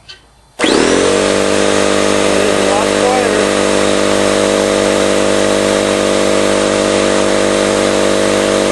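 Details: Campbell Hausfeld 20-gallon oil-less air compressor after compression ring replacement: motor spins up sharply, then holds a steady, high buzzing drone with no knocks or rattles while pumping normally, though a split copper tubing leak was found afterward.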